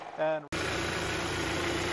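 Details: Kia with engine recently replaced under recall, knocking again: with drive belt removed, engine idles smooth and even with no knock or tapping, so the noise is belt-driven; noisy water pump bearing suspected.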